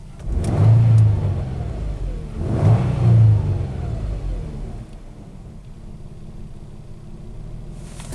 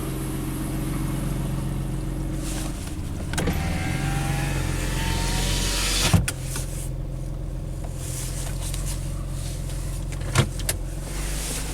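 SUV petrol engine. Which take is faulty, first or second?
second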